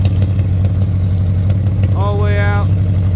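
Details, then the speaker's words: 1978 Chevrolet Scottsdale, one owner, 44,000 miles, sat since 1996, just started with a little smoke, cherry bomb exhaust: deep, steady rumble with an even lope at idle; sounds healthy and settled, normal idle. "This thing's set since 1996. Listen to that engine. Got a little bit of smoke coming out, but listen to that."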